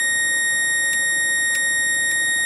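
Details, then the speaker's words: 555-timer circuit driving an EMJunkie board with partner coils at about 1.7 kHz through a 2SD2539 NPN transistor. A high whine is broken by crackling snaps. Owner suspects shorting between partner-coil windings from high voltage, now lighting only about 10 neons, and plans to rewind. "if you if you hear that occasional chattering in there that is something on the board shorting out and I think it's probably between windings in the partner coils there"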